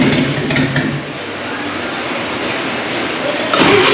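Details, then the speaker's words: 1939 GMC COE 4x4 six-cylinder run for the first time in 60 years: uneven, lumpy sputter firing on only two to four of six cylinders. Possibly a timing issue or lacking fuel or spark on some cylinders. "all right so at this point you can hear the truck is sputtering it's hitting on three four two cylinders out of the six"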